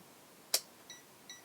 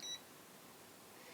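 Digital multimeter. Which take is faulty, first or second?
first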